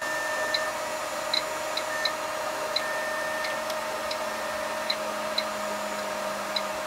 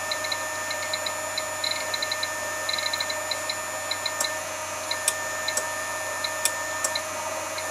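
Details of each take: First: Keithley 150B microvolt ammeter running on a battery supply lowered to 5 volts: a faint, uneven mechanical chopper ticking over a hum. The chopper sound changes from how it ran at 6 volts, and the meter quits near 4 volts. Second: Keithley 150B microvolt ammeter on external supply around 6-7 volts: fine, even high buzz with light ticking at one steady rate; chopper runs normally, sounds heavier above 6 V, frequency unchanged between 6 and 7 V.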